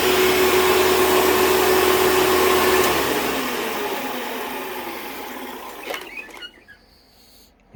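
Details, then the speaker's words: Hoover Dimension Supreme upright vacuum running in a living room: roar with a thin steady squeal on top, then winding down; a worn drive belt that is going out, with a burning smell. "so that belt is definitely going out you could hear it squeal a little bit"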